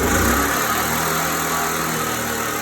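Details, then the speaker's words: Briggs and Stratton-style generator engine after carburetor refurbishment, started with choke then opened; runs great with steady even drone, no pauses, no vibration, no surging; powering a refrigerator during an outage. Normal running. "it runs great. No pauses, no vibration, no governing. Works great."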